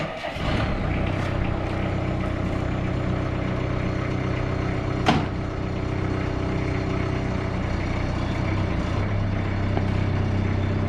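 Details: Bobcat 331 mini excavator diesel after starter rebuild plus new ignition, oil pressure and light switches: settles straight into steady, even run with firm low rumble, no knocks or misses; sounds healthy.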